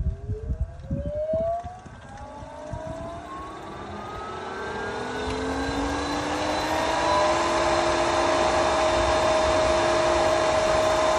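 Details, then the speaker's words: Pentair SuperFlo VS variable-speed pool pump on startup: spins up with a rising tone to a steady high hum over rushing water as it primes at high speed before slowing down; normal. "It's gonna first prime on high speed and then it's gonna slow down. So let's do this. All right, it's priming up. That's perfectly normal."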